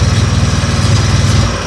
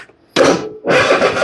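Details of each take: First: Husqvarna riding mower, Kohler 7000 series engine with new carburetor, fuel flow problem at the tank: catches and settles into a steady, even single-cylinder putter within a second, running cleanly. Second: Husqvarna riding mower, Kohler 7000 series engine, with new starter and carburetor, choke on: two bursts of strong, even cranking that never catch; runs on starting spray, no fuel reaching the carb due to a fuel flow blockage at the tank.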